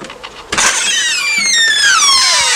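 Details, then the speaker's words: Door swinging open and closed: drawn-out squealing creak sliding down in pitch; door is squeaky and stiff, owner thinks WD-40 was used on it; dry hinge squeak. "door's a bit squeaky, can you hear that? I'm using WD-40, I think."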